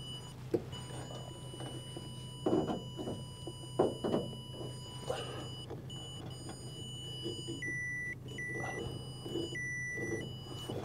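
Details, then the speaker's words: Bobcat S175 skid steer with no power to the cab; circuit tester tone along a wire turns higher-pitched and inconsistent at a crushed spot in the wiring harness, found after cutting open insulation: crushed wiring harness. "is kind of a smushed spot here in the harness"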